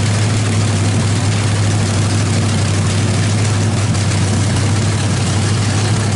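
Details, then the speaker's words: Chevrolet 350 small-block V8 with a cam fitted, freshly started on open headers after priming, oil sprayed on the floor; loud, deep, even idle, no knocks or misses, sounds great, timing probably needs setting slightly. "that sounds bitching uh probably going to need to set the timing just a little bit"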